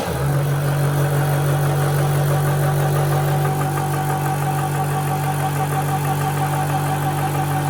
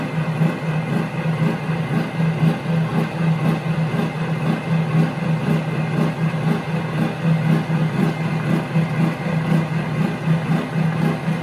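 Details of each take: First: AC/DC air compressor: loud steady buzzing drone with low hum and even pulse near three per second, no knocks or rattles; normal running. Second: Omega high-pressure air compressor: steady low drone with slow even pulse about once a second; owner feels it pumps slowly compared with Yong Heng.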